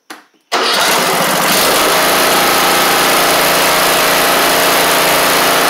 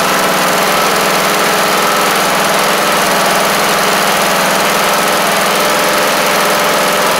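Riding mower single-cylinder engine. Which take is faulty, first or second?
second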